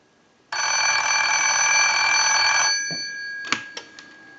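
Clean, bright, steady bell ring lasting about two seconds in a quiet room; the ringer sounds strong and healthy.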